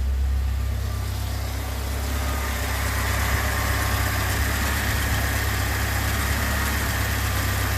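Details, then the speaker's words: Alfa Romeo Spider at cold-start idle after a tune-up (new cap, rotor, wires, plugs) and oil change: steady, even low hum with no misses, knocks or ticks. Healthy idle. "There she is, just humming along."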